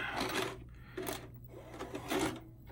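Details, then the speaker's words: 1992 Shintom VCR450 VHS VCR, second-gen Shintom mechanism, fully recapped, loading a pre-recorded tape with no autoplay: soft whirring and rubbing in short bursts with light clicks as the tape threads; smooth, unforced loading. "Tape loaded, but no autoplay, so I gotta reach down and play."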